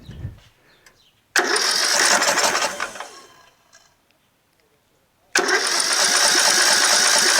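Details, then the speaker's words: Rebuilt tractor engine with magneto, carburetor, starter and fuel system installed, first start attempt with starting spray and about an inch of gas: two bursts of rapid cranking, catching briefly then fading out; won't keep running, spark present. "it tried to turn over but just not quite you know"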